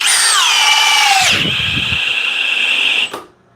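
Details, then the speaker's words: Milwaukee cordless drill in speed two, drill mode, with a fully charged 6 Ah battery. High whine drops under load, then cuts out while still loaded; it got it down but struggled and couldn't take it out. "it got it down but it did struggle a bit see if it can take it out cannot take it out"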